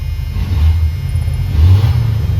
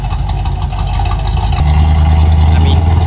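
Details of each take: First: 1990 Dodge W250 Power Ram after removing an item that was weighing down the throttle cable and causing it to rev up slowly: deep loud rumble, revs rise and drop back cleanly with no hang or stumble; normal revving. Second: 1990 Dodge W250 Power Ram idles higher and higher on its own with no throttle input, not returning to normal idle; steady low drone lifting to a high even idle; PB Blaster didn't fix it; owner suspects a worn spring.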